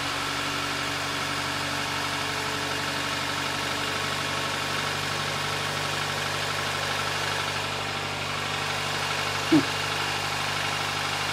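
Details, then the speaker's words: 2008 Nissan Versa with CVT after transmission fix for codes P0746 and P0868 and fluid refill with NS2 CVT fluid: engine started, steady even idle hum, earlier ticking gone, one brief faint clunk near the end. "it sounds better. See? I don't hear any. Remember that ticking sounds? I don't hear that anymore."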